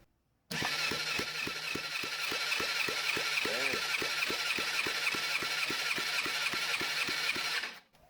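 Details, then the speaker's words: Yamaha FZX250 Zeal, engine out: steady starter cranking, even and quick at about three and a half compression strokes a second during a compression test; cylinder three the biggest worry, wet test shows the problem is worn piston rings, not the head. "We got a problem. That's just gone berserk. So, the problem's not in the head. That's in the rings."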